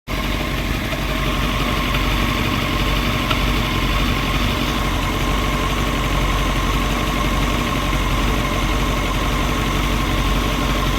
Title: CBR939 Metal knocking noise